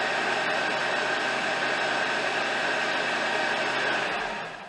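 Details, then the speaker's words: 2005 Honda Accord 2.4 K-series after alternator replacement (old one noisy from power-steering fluid leak): engine started, even steady hum with light high whirr, no knocks, ticks or squeal; normal quiet idle. "Alright, so I'm going to go ahead and fire it up real quick. And there we have it. Nice quiet Honda engine."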